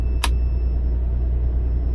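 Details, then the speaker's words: Toyota 90 Series Prado, just after fitting a 155 L long-range main fuel tank replacement: engine fires and idles steadily and evenly on the main tank with one light click near the start; no knocks or misses. "oh my God that's running oh my God it's running on Main because the fuel the lights off"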